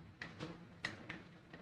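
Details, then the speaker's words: Riton Tactix X3 1-8x24 LPVO illumination dial, settings 1 to 11, turned: six sharp light clicks with a loose knock between the settings. The dial has a strange bit of free play; it still turns on and off as it should. "has a strange bit of free play and can you guys hear that knocking bit of a knocking between each of the settings on this"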